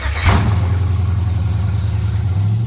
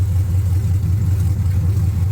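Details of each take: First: 1979 Camaro LS-swapped V8 after intake replacement (crack found on old intake), before codes were read: deep idle with uneven, lumpy beat and wavering speed; running rough, cause not yet found. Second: 1979 Camaro LS-swapped V8, restarted after reading and clearing codes, 158 degrees, no exhaust pipe yet: deep steady rumble with even low beat, no knocks or misses; healthy smooth idle.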